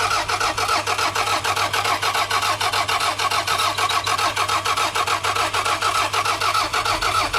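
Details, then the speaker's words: $500 used car with a missing vacuum hose and fuel in the tank: steady, strong starter cranking at about two turns a second with no firing at all. Owner suspects no fuel or spark. Crank, no start. "I will find out that it doesn't start. Bro, it will go so many more places now that it doesn't start. So that's a bit of a shame."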